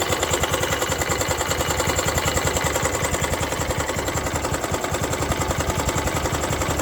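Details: Honda Activa 125 scooter before complete engine rebuild, at idle: steady deep knock roughly three per second under the running clatter; damaged crankshaft, worn connecting-rod and main bearings suspected.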